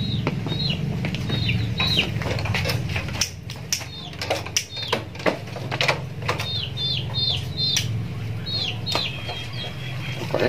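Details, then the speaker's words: Honda CB motorcycle with a PWK 30mm carburetor: fine at low RPM but popping and misfiring (brebet) when revved, with an irregular sharp stumble. The carb jet setting is the likely cause of the over-rich mixture. "jadi saat di RPM bawah itu biasa saja namun setelah kita gas itu ada indikasi seperti meledak atau brebet lah intinya seperti brebet seperti itu dah"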